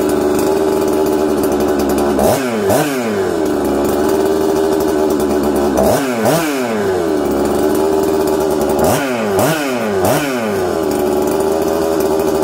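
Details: Husqvarna 266XP two-stroke chainsaw first run after rebuild, new flywheel-side seal plus sealant fixing a leak: idles slightly unsteady, snaps up in quick rev bursts and falls back; carburettor still needs fine tuning.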